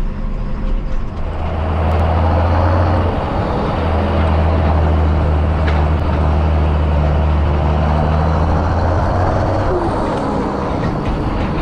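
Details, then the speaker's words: Tractor diesel ("Janusz"), power raised, loading and spreading kieserite: heavy rumble with rapid, fairly regular croaking knock about four per second over the idle; worn, inefficient injectors with increased fuel dose cause knock and rough running. "słychać takie rechotanie jak sami słyszycie ale jest co jest taka ciekawostka też to się zaczęło on zaczął inaczej pracować ten silnik jak mu podnieśliśmy moc po prostu niewydolne wtryski zwiększona dawka paliwa i efekt taki jaki słychać"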